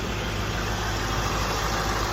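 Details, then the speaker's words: Range Rover Sport SVR at first start after rear main oil seal replacement, exhaust refitted, no leaks yet at the bell housing. Deep, steady, even idle rumble with no knocks, ticks or roughness; normal idle. "Yep, that's it running. Just SVR noises."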